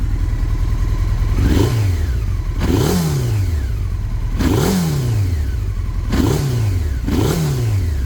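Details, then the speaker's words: 1996 Honda 900RR Fireblade, 919cc carbureted four-cylinder, not yet at operating temperature: five quick blips rising sharply, then falling back to a low, lopey R1-like idle. Clean response with no rattles; a healthy engine. "whenever I listen to this bike at least at idle and for the maybe the first thousand revs or so it's kind of got that like R1 like kind of like American like low kind of lope to it"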